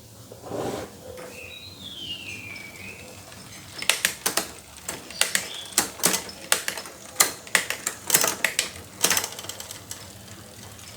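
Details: Bicycle rear derailleur shifting late and noisily: irregular sharp clicks and snaps as the chain jumps cogs.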